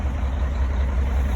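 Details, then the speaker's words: Cummins-powered Sterling semi revived after 8 years sitting, at operating temperature: deep, steady rumble, even beat, no smoke, very minimal blow-by; normal warm idle, though slight miss on tip-in that clears with throttle. "Truck runs, it seems to run pretty good. No smoke, very, very minimal blow by. It's up to operating temp and it seems pretty happy."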